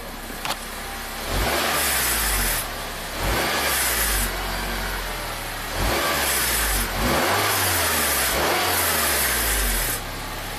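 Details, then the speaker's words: 2007 Acura RDX, 210k miles, P2263 turbo boost code disabling AWD: at idle, short throttle blips bring a loose metallic rattle near the turbo; a gapped actuator linkage (wastegate?) is suspected, unconfirmed. "i did notice it makes a weird rattling sound when you uh you know when it's just idling and you kind of give it a little gas it's like it's rattles let's listen"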